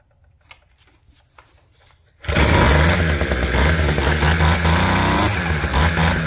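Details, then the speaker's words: Abandoned roadside two-stroke hedge trimmer, reassembled and throttle cable refitted: catches and holds a steady busy buzz with blade chattering; starts and runs fine. "Yeah! What a sweetheart. It's pretty cool."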